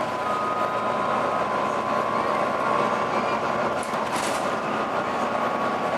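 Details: Volvo B9TL/East Lancs Olympus 1800 bus while driving in service: a steady high howl over the running noise; strange howling noise of unclear source.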